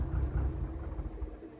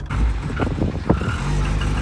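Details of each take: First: Cosworth car, engine cold just after start-up: low, lumpy idle that surges and sags and cuts out when the accelerator is released; rough cold idle. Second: Cosworth car, warm after about 2 minutes' driving (cold it runs lumpy and cuts out off the throttle), oil and filter changed 2 months earlier: deep, steady engine note with a brief clean rev blip, no stumbling or cutting out; running properly warm.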